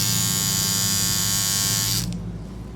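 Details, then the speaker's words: Hair trimmer (edge trimmer) switched on: harsh, loud rattling buzz because its blade head is loose. "เคยเจอปัญหาปัตตาเลี่ยนมีเถียงแบบนี้ั้ครับพอเราเปิดมานะครับเสียงดังมาก"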